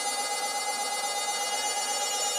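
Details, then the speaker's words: Stepper motor in a step-by-stepper drive circuit at about 813 Hz, current up about 24 mA: steady high whistle over faint hiss; high-pitched squeal coming from the motor, not the transistor, cause unclear. "some reason it wants to squeal now"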